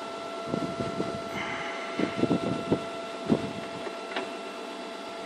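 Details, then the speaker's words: Iseki TU318F tractor converted to electric, motor on 12 V 120Ah SLA battery, run in high: faint steady electric motor whine with light gear clicks, turning evenly; normal running. "this is only 12 volts but it's moving right in high it's a bit quicker"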